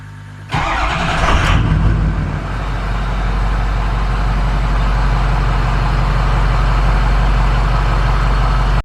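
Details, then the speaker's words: Ford F250 6.0 Powerstroke diesel started after glow plug replacement (some old plugs broke and were left in): brief crank, fires instantly and settles into steady even diesel clatter at idle; healthy start, no check engine lights. "no check engine lights it starts up right away"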